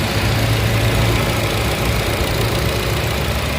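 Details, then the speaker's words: Nissan Grand Livina HWS manual 2012/13, first owner, 115,037 km: engine at idle, heard from the engine bay, nearly silent and very smooth, with a low even hum and no knocks or ticks; normal idle. "Untuk mesin teman-teman, ini suaranya nyaris nggak ada suaranya, masih halus banget."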